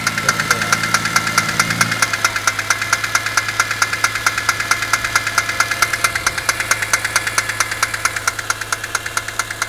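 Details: BMW E46 M3 six-cylinder, rattle progressively worsening: sharp metallic tick-knock repeating quickly over low hum; owner suspects chain tensioner or VANOS, valve cover to come off, undiagnosed.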